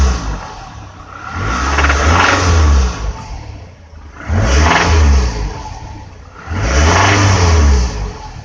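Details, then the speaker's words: 2006 Toyota RAV4 oil-consuming 4-cylinder, knock started after mountain curves with oil light flickering in curves and hard braking: three revs, each with a brief hard knock as revs climb, also on lift-off at higher rpm; owner suspects severe piston slap, possibly wrist-pin failure. "kind of hear that quick knock as it accelerates and while driving it it will do that when you let off the accelerator if you're in higher rpm shifts up or something"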